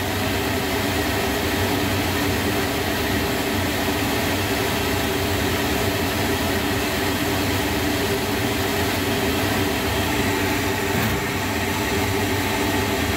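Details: Lochinvar boiler just after blower motor and housing replacement (old motor bearings were going bad), first fire-up: steady, even whoosh of blower and burner with constant low hum, no rumble or bearing growl; running normally.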